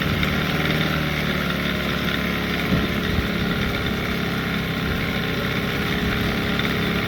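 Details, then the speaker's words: Post-repair: 15hp Evinrude outboard that had died when fuel ran out of the carburetor because the float wasn't letting fuel in fast enough. After adjusting the carb float and refitting the cover and neutral safety switch, it has run a few minutes with a steady, even idle and no dying. "Running really good. As you can tell, it ain't dying no more."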